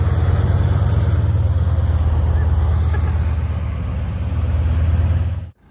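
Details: 1943 M4A1 Sherman tank nine-cylinder radial just after start, out of gear: deep, steady throb settling into an even idle, no knocks or misses, then it cuts; normal running.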